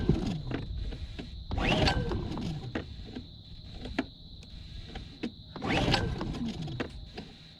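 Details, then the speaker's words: Honda 2000 generator after draining some fuel, oil full and connections checked: two hard pull-cord yanks spin it briefly with a rising whirr but it never fires; still a no-start, air filter later found falling apart. "a no-go that's still exactly the same as it was"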